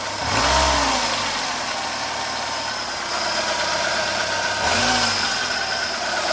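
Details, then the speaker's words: 2008 Renault Logan 1.6 8-valve, 144,000 km, engine cold, timing parts replaced and valves adjusted: idle with throttle blips and a faint metallic tapping inside the engine that varies with rpm. Metallic engine knock, cause unknown. "Не какой-то посторонний шум в ней. Будто кто-то стучит внутри двигателя."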